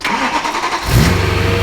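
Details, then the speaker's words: BMW E92 M3 cold start with new rod bearings and oil pan gasket, exhaust valves closed: brief crank, clean catch, smooth even cold idle, no knock, no leaks; healthy. "We don't have any leaks. It sounds good, nice and healthy."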